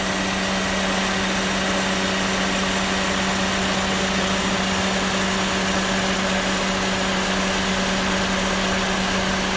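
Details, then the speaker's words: Engine idling with AC on, variable swashplate compressor kicking in: constant low hum and groaning drone as compressor engages; groan indicates insufficient compressor oil, topping up oil is the fix. "That's actually the compressor kicking in there, even on the variable swash plate. Now, what that tells you is when you have this kind of little groaning noise right there, is insufficient oil."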